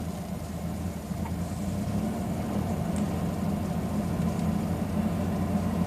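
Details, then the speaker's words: 2000 Chevy Blazer 4.3L, no check engine light, driving around 1,500 to 2,200 rpm: steady run with a low uneven stumble now and then; an intermittent misfire, owner suspects a bad injector or kinked injector line. "it usually does this between say about 1,500 to 2200 RPM that's when you notice it the most"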